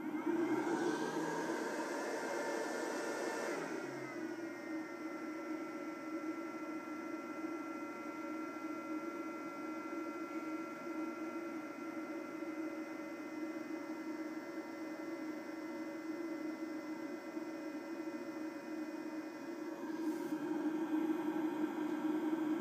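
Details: eFuel PSU30ADE power supply at under 10W, even at idle and at any set voltage: burning 12-16W constantly, its fan cycles up like a hairdryer, settles to a whir, then roars again instead of running slowly; it also rattles like an old SCSI drive.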